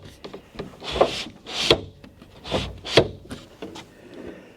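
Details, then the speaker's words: Conversion van power window after reinstalling the glass channel: slow irregular scraping every two seconds as the glass travels, bottoming out and rubbing on the window regulator, feels too tight. "What is it hitting? I don't know. It's hitting the regulator. It's hitting the regulator is what it's hitting."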